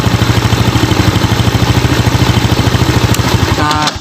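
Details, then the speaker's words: Steady, even single-cylinder thump at quick idle, no stumbles, on a Yamaha Jupiter Z kick-started with the brown ignition-switch output wire plugged directly into the CDI socket; runs strong and healthy. "Lalu kita tendang dengan kunci kontak menyala. Lihat, ini kuat."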